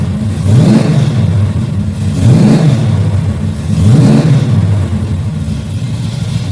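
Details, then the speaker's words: Engine with a rebuilt Holley carb and only about 7 PSI fuel pressure from a cheap regulator. The idle hunts, rising and sagging about every 1.5 s, and won't stay idling because of the bad carb and regulator. "Let's see what's going on with this thing. Won't stay idling again."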